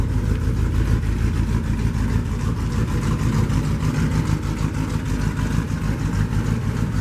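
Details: 1949 Chevy custom flatbed truck with dual exhaust exiting the same side: steady low idle rumble and clean throttle blips, no misses or knocking, running healthy.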